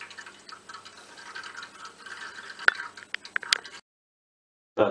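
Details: Hot-water heating radiator: irregular soft bubbling with sharp trickling ticks and drips like water falling into an open free surface; diagnosis is air trapped in the radiator.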